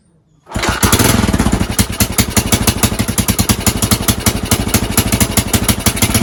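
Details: Rescued Honda TLR200 trials bike on stand with test tank: silence, then fires and settles into a steady even single-cylinder thump, quick regular beats, no knocks or misses; runs fine.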